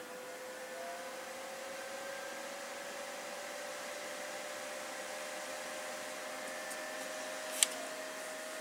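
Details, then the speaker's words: PC with NZXT Sentry Mesh fan controller, stock CPU cooler, graphics card intake turned up and CPU intake down, front fan back on: faint steady whir with thin whine; CPU fan spins up fast and loud. "if we turn up the graphics card intake but turn down the CPU intake things start spinning up even when the front is turned back on"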